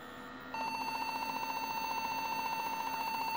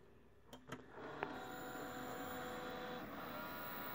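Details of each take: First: Desktop PC after being knocked hard: continuous, rapidly pulsing high beep at power-on and it will not boot, a memory fault; cleaning the memory sticks with rubbing alcohol fixed it. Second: Desktop PC that beeped and wouldn't boot after being bumped, one memory stick removed: a few clicks and short tones, then quiet steady fan hum with no beep codes; Windows boots normally, memory contacts suspected.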